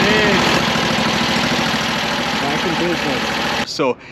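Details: AGT KTT23 Chinese mini skid steer, about 153 hours and 1 year old, after replacing the fuel pump to cure a no-start, shield off: small engine ticks over steadily about four beats a second with rough even chug, shuts off cleanly; now starts and runs.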